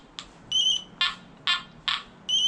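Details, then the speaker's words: Nokta Anfibio Multi metal detector, about 2,500 hours, 7-inch concentric coil: steady high two-note overload tone with rougher bursts over a shallow bottle cap. "It's on the verge of overloading, right? That's the overload tone."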